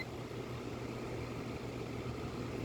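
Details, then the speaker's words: Vintage mid-1990s Vornado 280SS 10-inch three-speed high-velocity desk fan running at medium speed: smooth, quiet, even low hum with no rattle or buzz; normal fan running. "so as you can hear super quiet and super powerful and we are drawing 72 amps"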